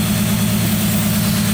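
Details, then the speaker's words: 2015 FA20 donor engine in 2013 Subaru BRZ, first start after swap, engine shaking, knocking heard: regular pulsing stumble several times a second over a loud steady drone; misfire traced to an unseated fuel injector on the fuel rail. "I don't know just seems like it's shaking a lot it does seem like it's shaking a lot doesn't"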